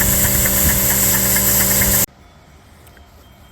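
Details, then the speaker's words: Dake square-piston steam engine with reversing valve on a capstan drive, running in reverse on compressed air (stated 110 lb); even, regular chuffing for two seconds, then quiet. Smooth, healthy running. "So there you have the Dake square piston steam engine. That's just running on at 110 lbs of steam. It's in reverse."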